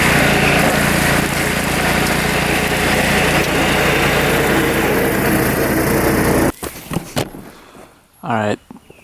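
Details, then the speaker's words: Kohler Command 14 hp engine (owner believes) on a mower, newly bolted on after the old engine fried, new battery, test run cutting brush in third gear: loud steady single-cylinder beat under cutting load, then shuts down; healthy normal running. "test run. That works pretty well. That cuts really nice. Not too bad. I like it. It's pretty fast in third gear too."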